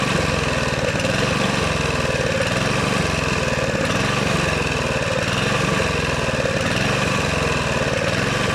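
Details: Honda GV150 scooter engine after rebuild, transmission not yet fitted: slightly lumpy, uneven single-cylinder beat; owner suspects ignition fault or coil, unchanged plug, or fuel filter; rough running, cause unclear.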